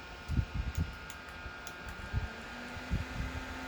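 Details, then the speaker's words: Cheap rechargeable 18650-battery handheld personal fan, three-speed: steady hum with irregular low chattering bursts every fraction of a second; this fan chatters and runs noisier than the others. "can hear this one's like chattering and it just makes mix more noise"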